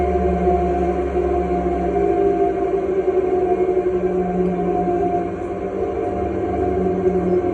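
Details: Italmecc Air3: steady droning hum carrying several fixed tones that hold even throughout; abnormal tonal noise with no clear cause.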